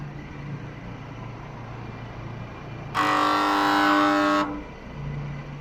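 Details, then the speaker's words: Panasonic air conditioner outdoor unit: a low hum, then a sudden loud, harsh buzz for about a second and a half before it cuts out, the compressor clunking repeatedly and failing to start. "คอมแอร์คอมเพรสก็คือคอมไม่ยอมสตาร์ทนะครับดังแก๊กเป็นช่วงๆครับ"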